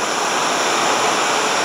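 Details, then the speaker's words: Oxy-acetylene cutting torch, oxygen cylinder valve fully open (tank about 150), oxygen added slowly to the set fuel gas: steady, even roaring hiss, not loud or screaming, no popping; inner feathers about a quarter inch off the tip. Normal neutral cutting flame. "now that's a nice neutral flame you can see that it's not loud and screaming most importantly those inner inner feathers of that flame are about a quarter of an inch off from the tip"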